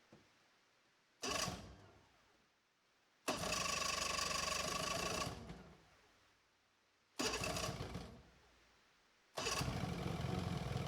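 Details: 1995 Sea Ray Sea Rayder Sportjet 120XR, 120 hp two-stroke vertical engine driving a jet pump, revived after no spark, erratic timing and running backwards; it fires in short bursts, dies, then catches and runs steadily with a raspy buzz and heavy smoke, no fuel drips.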